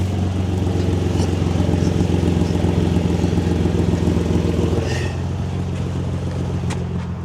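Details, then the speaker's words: Nissan 350Z revved to high RPM after fixing a Y-pipe exhaust leak with an extra-thick gasket at the Tomei cat and test pipes: deep steady exhaust drone holds firm and settles back with no puffing or ticking; exhaust sealed, normal. "We're testing for science to make sure that we're still not leaking through high RPMs, [Music] obviously."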